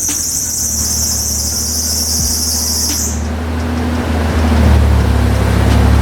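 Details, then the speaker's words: Toyota truck swapped to a 3.4L engine, after cheap aftermarket coils were replaced with OEM to cure a misfire: an even drone with no stumble that revs cleanly. It sounds slightly off from a large exhaust leak. Running smooth. "Well, guys, it's running 100 times better after we swap the coils. It obviously sounds a little funky because there's a huge exhaust leak up here, but it actually revs smooth."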